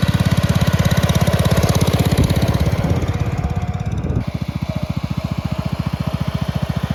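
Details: 1962 Bolens Ride-a-matic garden tractor, restored and test-driven outside: steady single-cylinder thump drops to a slower, even beat midway, firing cleanly at both speeds; runs very well at different rev levels.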